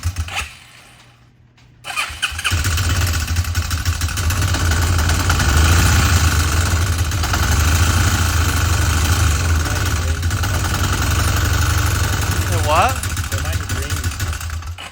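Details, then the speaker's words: Used marketplace motorcycle, smoking and smelling of oil: it starts and settles to a rough idle with a fast light tick over the thrum, first thought to be timing or valve clatter; top-end ticking. "she's stinky as hell sounds almost like timing or something yeah"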